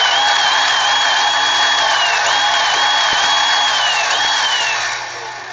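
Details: Razor E90 electric scooter diagnosed for no-run, motor wired directly: high whine rises and dips repeatedly as rear wheel spins, then winds down; motor runs normally, rear wheel wire slightly damaged.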